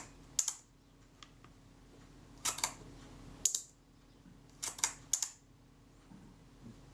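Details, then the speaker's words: Shutter of a serviced camera after the speed gear train was adjusted to correct about half a stop fast: quick, tight paired clicks, still too fast. Tightening the lock screw likely shifted the adjustment. "it's still too fast"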